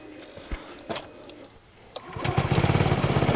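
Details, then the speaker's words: Honda Forza 125 scooter after its starter-alternator was replaced, with an exhaust leak at the O2 sensor; a few soft clicks, then it catches at once without any cranking whirr and settles to an even idle: normal start. "So that's what they uh sound like. They don't have any sort of cranking noises."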